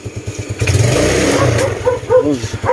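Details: Small single-cylinder Yamaha Mio Sporty scooter engine, still slightly cold, picks up cleanly from idle and revs freely without stalling or bogging after resealing a loose airbox-to-filter hose and cleaning; runs smoothly.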